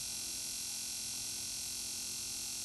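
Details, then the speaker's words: DIY fiber laser cutter gas control system, oxygen regulator powered through an added relay, set to oxygen blow: steady high-pitched buzz over constant gas hiss; regulator energized and working normally. "the regulator seems like it's working when I go to oxygen blow you can hear it turn"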